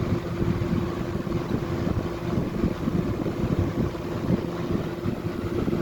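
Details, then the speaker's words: 1995 Lakewood model 200/I box fan switched to high after cleaning and oiling the motor: steady rush of air with faint constant hum, no knocks or rattles; normal healthy operation on high. "And we'll go to high. That's the sound I remember."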